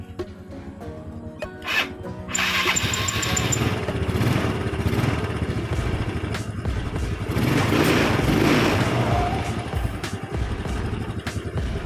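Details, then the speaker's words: Yamaha Mio scooter, hard electric starting traced to too-tight intake valve clearance, readjusted to 0.8: starter catches at once and settles into an even, stable idle with no hunting; after valve adjustment it starts straight away. "Once you press it, it'll start straight away and the speed is also stable, more stable than before, because of the valve settings, especially for the valve settings."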